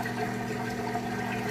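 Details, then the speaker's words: GE top-load washer draining water with lid switch bypassed for demo, before spin cycle; steady low pump hum with water rushing evenly through, draining fast, no rattle or strain; normal drain pump operation. "all right it is now draining out the water you can hear it working that drain water draining draining nice and fast"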